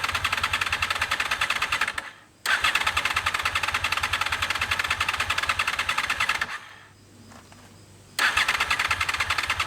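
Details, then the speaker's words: Gen 5 Honda VFR with low mileage, sat in a barn for almost a decade, new battery at 12.6 V, cold start: rough, lumpy cranking bursts with uneven firing that die out twice; suspected running on only one cylinder, with clogged injectors possible. "we got it to fire up and run yesterday although I do believe it was only running on one cylinder at least only one of the pipes burn my thumb"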